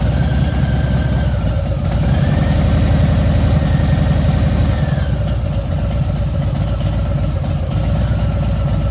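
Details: Milwaukee 8 V-twin, at about 3,700, after new pipes and a dyno tune: lumpy idle with a thin high whine that rises briefly when blipped, now 2-3 times louder than when new. Excessive engine whine, source unclear.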